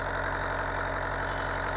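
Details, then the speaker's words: Bobcat 334 excavator diesel started after an oil change with a new filter and about 8 quarts of oil, watching oil pressure come up: steady, smooth, unchanging idle rumble with no knocks or rattles, sounds good; normal idle. "Make sure the oil pressure is coming up. Sounds good."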